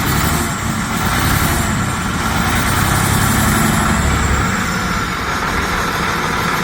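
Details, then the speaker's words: Detroit Series 60 diesel, new engine with only a couple thousand miles, about 50–55°F, after hard starting: rough, stuttering idle with uneven low thumps, firing on few cylinders, heavy smoke, possible exhaust leak, no check engine light. "Still stuttering. Smoke everywhere."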